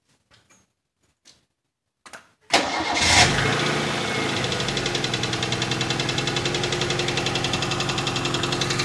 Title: 4AGE bruit moteur